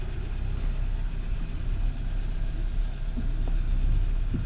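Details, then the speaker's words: Hyundai Sonata after replacing the steering assist coupling to cure a steering wheel knock. A steady low engine rumble with only a few faint clicks and no knock through the steering column; the noise is gone. "Noise is gone. See, it was that easy."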